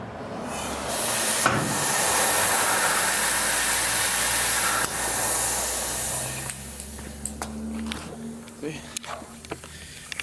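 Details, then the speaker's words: Mini truck air suspension, right-side air bag with a hole while left side holds pressure: loud steady hiss of air rushing out for several seconds then tapering off; air bag leak, bag to be removed and replaced. "I don't know if you guys can hear it on the camera, but the air's just coming out."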